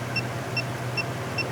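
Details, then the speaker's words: Refrigerant leak sniffer near a truck's recharged AC system before checking around the block: sharp high ticks about two and a half per second over a low hum, no refrigerant present; normal idle tone. "So, here's the normal tone."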